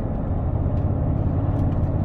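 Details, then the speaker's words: BMW E31 heard from the cabin, coasting and under light throttle; the rumble grows with more throttle. A deep continuous rumble felt through the body but not the steering wheel. Road-surface induced body rumble. "yeah it is very noticeable it really does rumble throughout the car and you can feel it coming through the body it doesn't come through the steering wheel so much but yeah it's like a roll of thunder is it vibrates the whole car"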